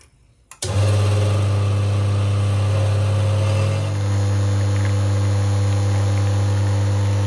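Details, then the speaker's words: Aging Rocket rotary-pump espresso machine whose water level indicator had stopped working, after power cycling and refreshing the tank water: the pump starts with a click, then a steady, even low hum with no rattle or surging. Normal operation restored; scale is suspected. "yes and we are back in business excellent"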